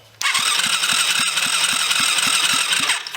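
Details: Rebuilt kids' 110cc quad on electric start after fuel was put down the plug hole: starter whirs with even cranking pulses about four a second for three seconds, never catches; spark present, owner unsure why it won't start.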